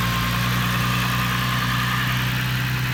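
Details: Corrado engine at a slightly lumpy, uneven low idle; owner asks why idle jumps up and runs so rich; rough idle, cause not evident.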